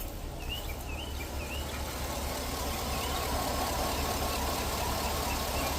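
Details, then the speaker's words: V8 travel rig with some rust, owner says the drivetrain is fine: low, steady idle burble with an even beat and no ticks or knocks, birds and insects in the background; normal idle. "got a little bit of rust in places but I mean drivetrains fine listen to this thing"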